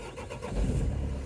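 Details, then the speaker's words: 2004 Renault Trafic 1.9 dCi diesel, previously crank-no-start with fault DF195, after a repair at a bolt thought to have caused it, on a chilly day: short crank, then the engine catches and settles into a steady low rumble; starts and runs normally. "all right let's see if it starts that's what I'm talking about"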